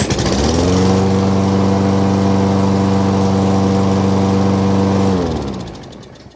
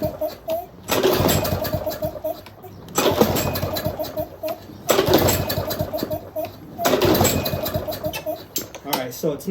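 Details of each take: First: Craftsman lawnmower model 247.371240 that would start then die, after carburetor cleaned twice and spark plug replaced: steady, even drone with no bogging or hesitation until it winds down; normal running. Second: Used Craftsman lawnmower model 247.371240, reported to start then die, on its first pull-start test. Four pull-cord cranks about two seconds apart turn it over but it never catches; a clogged carburetor is suspected.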